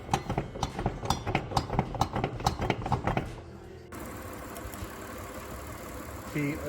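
Idle with an uneven, stumbling thump about twice a second, the beat dropping out irregularly, points to a cylinder 2 misfire.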